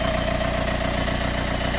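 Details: Mercedes B180 CDI W245 diesel idling after a warm restart (15–45 min after a ~15 min drive): light metallic rattle over an even pulse, starting ~30 s after start like an extra fan, disappearing after 1–2 min of driving; cause unknown.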